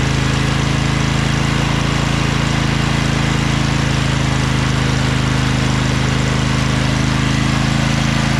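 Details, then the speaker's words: Craftsman LT2000 lawn tractor repowered with a Briggs 20HP Intek V-twin, owner suspects a blown gasket on the right cylinder. After about 10 minutes of running: steady, even beat at constant speed, no miss or clatter, no smoke. Normal running. "so it's been running for about 10 minutes there's no smoke"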